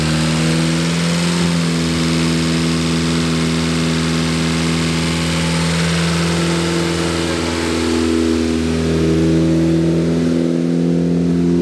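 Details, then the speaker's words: Freshly built Focus ST engine after swap, on non-synthetic high-zinc break-in oil, held at 2,500 rpm for ring seating: smooth, even drone with slight pitch drift, no knocks or ticks; healthy running. "If you can hear me, but this car sounds amazing. But what we're doing right now is we're doing the break-in process. So I'm doing my best to hold the engine RPM at 2,500 RPM."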